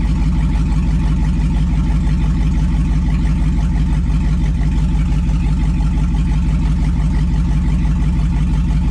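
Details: 2002 2500HD parts truck, on old gas; over 40 psi oil pressure, alternator charging; deep even V8 idle, steady pulses about three a second, no knocks or misses; healthy.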